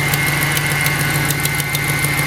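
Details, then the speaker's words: 2014 Ram 2500 salvage truck, about 61,000 miles, first start since November: steady idle with quick light ticking from a suspected exhaust leak, common on these, plus a faint whine from the power steering pump. "So it sounds like we've got a whiny power steering pump. When I started, I could hear an exhaust leak, so"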